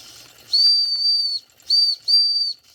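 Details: Circa-1946 electric-heated mini steam engine after repair (straightened axle, fixed flywheel wobble, replaced retaining clip), near 200 degrees: clear high steady whistle in three blasts over a faint running engine that speeds up as it heats; normal running with whistle.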